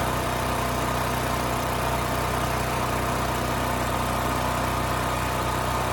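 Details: Westinghouse 7,000-watt electric-start generator after carburetor cleaning and fresh fuel (previously rusted tank, gummed carb): steady, even drone at constant speed, no surging, popping or hunting. It smoothed right out; fault possibly bad fuel, pilot jet or emulsion tube.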